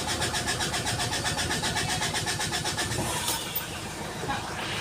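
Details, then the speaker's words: 2017 Mitsubishi Strada 4D56 common-rail diesel with hard start from water-contaminated fuel, after repaired injector refitted and fuel system bled: cranks, then catches into an even diesel clatter at about four beats a second; normal start and idle. "So umandar na guys. W na may chickening lang. Okay ayan. Okay na guys. Umandar natinung unit."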